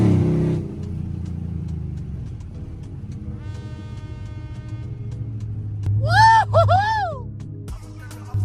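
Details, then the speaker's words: Chrysler 300C 5.7 Hemi with long tube headers, after replacing missing driver's-side header bolts that caused clunking: deep, even low V8 growl while driving, no clunks, puffing or ticking; normal sealed exhaust note. "Now that's the sound of American muscle right there, baby."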